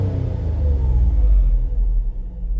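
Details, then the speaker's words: 2003 Mazda MPV after a throttle body repair for rough idle (earlier fuel trims showed it running lean): the deep engine rumble swells smoothly on a throttle blip and settles back without stumbling or stalling, so throttle response is now normal. "the car is running smooth now it can hit the throttle and the vehicle will not turned off"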